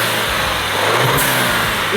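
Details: Stolen-and-recovered Range Rover Evoque, 2 L petrol turbo, with wiring disconnected, running for a while after warm-up: smooth, even running with a steady tone and no knocks or misses; engine sounds healthy.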